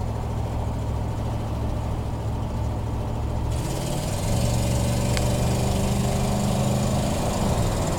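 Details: 1987 Chevy truck: rough puffing putter like a lawnmower over a deep idle, getting louder with throttle; major exhaust leak at left side exhaust manifold from a broken stud.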